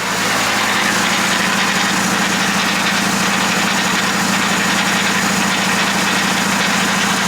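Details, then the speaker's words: Rebuilt VW Jetta SportWagen TDI DSG transmission converted to all-wheel drive: harsh gritty metallic grinding over drivetrain hum; replacement ring gear bolts too long, contacting and shaving the gears. "so hey guys so as you're probably hearing that does not sound good and one thing that actually was wrong is i'm going to show you right now yeah you can see that those bolts that i installed they were making contact with the gears"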